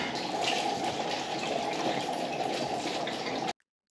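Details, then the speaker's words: Urinal flushing after blockage cleared by cable and trap refitted: steady rush of water runs off evenly then stops cleanly, no gurgling or backing up; drains away freely. "so that was the orinal flushing I've just put the Trap back on so that's very good timing as you can see it's running away lovely"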